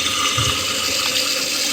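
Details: 30-year-old Kohler toilet after installing a Fluidmaster universal all-in-one repair kit, flapper set to 7: steady, even, uninterrupted hiss of water refilling tank and bowl; normal refill.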